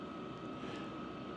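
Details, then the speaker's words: Vevor Chinese diesel heater running at full heat (222° inside) after sound-dampening mods: soft steady blower hum, no fuel pump ticking audible; as quiet as this heater gets, blower remains the main noise. "yeah that's as quiet of a Chinese diesel heater as you're going to get there is no sound from that fuel"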